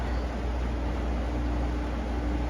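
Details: Carrier UC series 5,000 BTU air conditioner with a Tecumseh rotary compressor, air already cold. Steady low hum, faint constant tone and a soft, smooth air rush: the unit is running normally.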